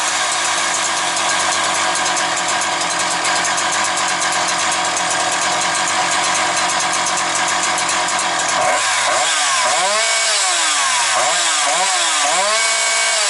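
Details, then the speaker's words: Husqvarna 365 two-stroke chainsaw with Walbro carburetor holds a high, steady full-throttle scream, revs neither rising, falling nor hunting, then drops back and revs in short bursts; normal. "Ну, я вам скажу так, чітко працює на повному газу, тобто йде лінійочка. Оберти ні не зростають в процесі, ні не падають, ні підгулюють."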